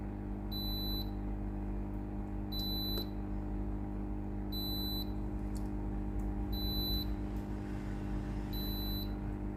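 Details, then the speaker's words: Philips HI5919 steam iron with no steam, later traced to a clogged rubber pump pipe: self-clean started at max heat by holding the top button 2 s. Steady pump hum with short beeps about every two seconds, normal. "Press and hold the top button here for about 2 seconds. You will hear a long beeping sound. The orange light will flash. The automatic cleaning process will work."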